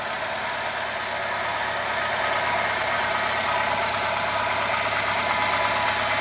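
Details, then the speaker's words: 2008 Renault Logan 1.6 8-valve, 144,000 km, cold engine, timing belt and rollers replaced, valves adjusted: light metallic tapping about three per second under a hissy idle, changing with revs and while driving; knock inside the engine, cause unknown. "Вот такой звук. Звук металла. Именно когда газую, либо когда еду, при движении двигаюсь, останавливаюсь."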